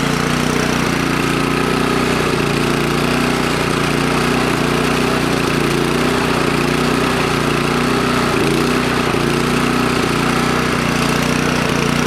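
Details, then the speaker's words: Toro Power Clear 621E snowblower, 163cc OHV four-stroke, after its completely clogged main jet was cleaned: runs steadily with a slightly uneven beat. It runs, but the carburetor still needs a proper clean. "yeah runs card needs to be clean definitely"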